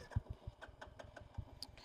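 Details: Royal Enfield Bullet during a mileage test, with the tank deliberately run dry. Faint, uneven cranking thumps for two seconds never catch; the engine turns over but won't start because it is out of fuel.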